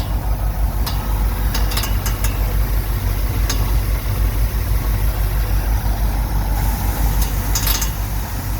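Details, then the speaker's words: 1969 Ford F100 V8 idling after coil wire change: deep idle with sharp, uneven ticks and slaps as the cooling fan blades clip the radiator shroud; pulling the fan back stopped the noise. "yeah it's a fan hitting the radiator I just pulled it back and that took care of it"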